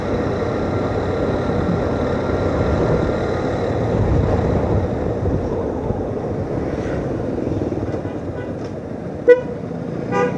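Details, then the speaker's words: Used Yamaha Byson while riding: horn toots thin and faint over road noise, far too quiet; rider suspects a loose or disconnected wire. "Kok klakson gue jadi kecil sih suaranya? Ini kayaknya ada yang copot nih kabelnya nih."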